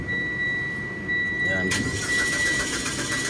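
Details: 2012 Mitsubishi Lancer EX, suddenly died, fuel gauge showing fuel: warning chime then steady cranking that never fires; misfire fault code, crank no start traced to a failed ignition coil.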